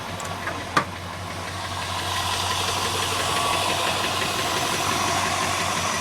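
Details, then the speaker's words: 1981 Chrysler Imperial V8 at warm idle, after rewiring the electric fan and headlights onto relays: a light top-end tick at about three per second over a steady rumble. It is a lifter tick; compression is good and the owner is leaving it for now. "sorry for the uh lifter tick good compression I'm not doing a darn thing about it until I need to pull the headlight"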